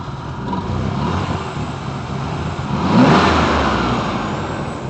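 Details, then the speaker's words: Chevy just started: uneven, lumpy idle with a brief swell of revs midway; engine idles rough, cause unknown. "Yeah. I don't I don't know how well this is going to sound, but you can hear it idling like crap. Okay. See, I'm not quite sure what it is."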